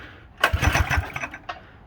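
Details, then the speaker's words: Small single-cylinder mini bike engine with very low compression and a custom muffler: fires a few ragged pops, sputters briefly and dies instead of catching; hard starting, cause unconfirmed. "it's still a really lacking compression she's gonna fire oh she's burning all right she's stinky"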